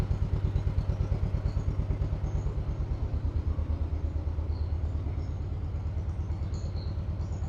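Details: 1958 John Deere 420W two-cylinder, just jump-started after about a year unused; it stumbled a little while the jumper cables were unhooked. Now a slow, even chuff of about two beats a second with no skips as it warms up. Normal idle.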